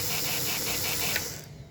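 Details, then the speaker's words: NGS RB 3 Amigos #3 after updates and upgrades, in neutral at the station: a smoke plume with the smoke fan running, a steady airy hiss with a faint high whir, then a clean cut-off. Normal smoke fan operation. "You can see there's a plume of smoke. Hear the fan going. Everything is doing what it's supposed to."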